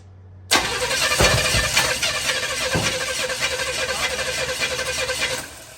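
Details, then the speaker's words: $100 Chevy 350 with new intake manifold, for a 4x4 1972 Chevy truck, first start attempt, fuel fed by improvised IV: fast cranking about three beats a second for five seconds, no firing; owner suspects ignition timing off and no fuel. "I think our timing might be off. Come on, fire up. Do it. All right, cut it."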